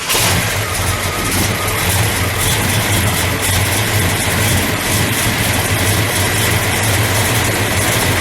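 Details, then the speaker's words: 1971 Oldsmobile 442 convertible, 455 CI V8 with Dual Gate automatic, restored with minor modifications, just started: loud, steady, even rumble with no knocks or misses. A healthy idle that sounds good up front. "It sounds good up here. Wait till you hear it back here."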